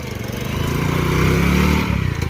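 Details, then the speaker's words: Small single-cylinder motorcycle with a starting problem: pulls cleanly, revs rise smoothly then ease off as it rides away, no sputter or hesitation; normal running. "అయితే వెళ్ళిపోయిండు బండి అయితే perfect అయితే అయిపోయింది"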